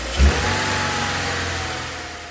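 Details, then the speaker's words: 2014-2018 Subaru Forester idling with the accessory drive belt removed: steady, even low hum with no whine or screech; noise gone, so the fault lies in a belt-driven pulley or tensioner. "as you can hear the noise has subsided that means it's one of our moving Parts along the accessory Drive controlled by the belt"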